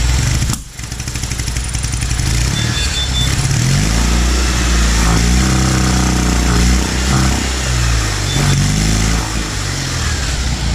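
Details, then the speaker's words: Citroën 2CV flat-twin rises and falls unevenly in pitch, stumbling as the throttle opens before picking up. The owner is convinced the carburettor's primary choke is not working and later found the carb fault. "I'm quite convinced that the first half of the carburetor, the primary choke, is not working, because as soon as I open the throttle, this is what it does."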